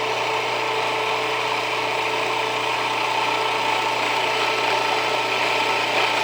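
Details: Jiffy Precision Mill, a simple US-made electric steel burr grain grinder, grinding grain fed slower with the setting backed off slightly; steady motor hum under an even gritty grinding rush at constant pitch, no labouring or squeal. Normal grinding, and the mill is only warm afterward.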